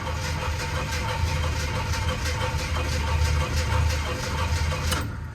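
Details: 1978 Jeep Cherokee SJ, sat a couple of years and unstarted for at least a year, after about 15 pedal pumps: the starter churns evenly but it never fires; a no-start, cause unconfirmed.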